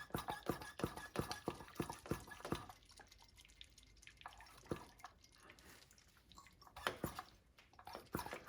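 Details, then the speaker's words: 2002-2007 Saturn Vue, vacuum bleeding the brakes after a brake hose replacement: irregular wet spitting and popping through the opened bleeder as fluid is drawn; lots of air in the brake line. "you don't want to let this go down past five getting lots of air you can hear it kind of spitting and sputtering"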